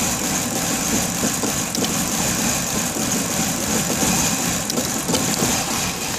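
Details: 1994 BMW E31 840Ci V8 that shut off on the road and then had a crank-no-start issue now starts but idles unevenly with stumbling, lumpy pulses; rough idle with a bad misfire, cause unknown.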